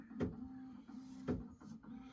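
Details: Prusa XL 3D printer, tool 5 parking after an upgrade, filament unloaded and cooled: steady motor hum with sharp clicks as the tool head docks, plus a faint squeak heard on every dock and undock.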